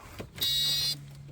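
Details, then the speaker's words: 1992 Volvo 460 turbo at switch-on on jump-start mode: half-second high-pitched electric buzz over a quiet hum; owner thinks it is the ABS pump running with the brake fluid reservoir empty, needing filling. "right I hear a pump I hear a buzzing give her a good turnover so I think that would be the ABS buzzing away there will probably need to fill you up"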